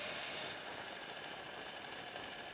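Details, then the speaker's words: Light Bee electric bike riding after a rear-end rebuild: a dry, fast ratcheting knock from the primary drive over the motor whine, less than before. Suspected cause is a jackshaft bearing spinning in a damaged bore, not confirmed. Drivetrain knocking noise. "well it's still making the noise man it's not as bad as before"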